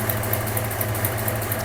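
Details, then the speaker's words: Hellstang Mustang idling after fuel pressure confirmed: steady rough idle with a faint sharp ticking about four times a second, from a leak somewhere in the downpipe. "that downpipe has a leak at some point."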